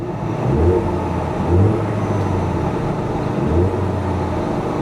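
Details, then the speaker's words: Salvage-auction non-V8 Mustang that runs and drives: three clean throttle blips over a steady idle with no knocks, ticks or misses; sounds healthy. "she sounds good guys she does she sounds really good"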